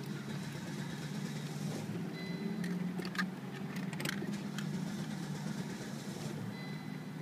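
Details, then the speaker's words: 1998 Volvo S70, hot after short 5-10 mile drive, coil recently replaced: engine cranks steadily but never catches; no-start later traced to faulty mass airflow sensor. "It'll start or turn over, but it won't go all the way. It won't catch"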